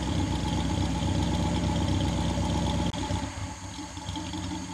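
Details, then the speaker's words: 1959 Daimler SP250, cold engine start: steady, even idle with smooth regular beat, settling quieter; owner says it runs and drives well; normal cold start and idle. "so the engine's cold on the car um I want to show you how well the car starts up let you hear it run a little bit"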